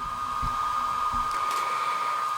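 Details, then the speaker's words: HobbyMate D6 Lite dual charger's power supply unit: steady high whir with a fixed tone, the fan running all the time; not super noisy but always audible, and significantly noisier than running the charger from a battery. "this fan is pretty noisy and is on all the time it's not you know super noisy but it's a fan noise that you can hear all the time"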